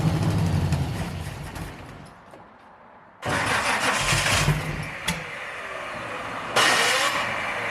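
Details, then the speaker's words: 1971 Chevy Nova small-block V8 (4-speed), non-running when bought, first start after re-splicing a plug wire: catches, stumbles and refires lumpy and uneven. It is misfiring; the firing order checks good, and timing is suspected out. "here's what we got just based on that little bit of running it's definitely a misfire"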